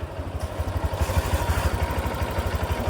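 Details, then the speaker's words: Honda Click 125 scooter after pulley set replacement (crankshaft first suspected); even low pulse near three beats a second, no rattle or grinding from drive side, noise gone, smooth; normal running. "Wala na. Wala nang ingay."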